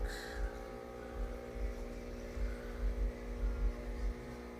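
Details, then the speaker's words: Just-cleaned filter pump on a 75-gallon shrimp tank during a water change, before the water reaches it: a steady, buzzy electrical hum at constant pitch with no water noise, the pump running dry. "So this one ought to, when that water gets up to that pump, you can hear it humming. It's running dry, which ain't good,"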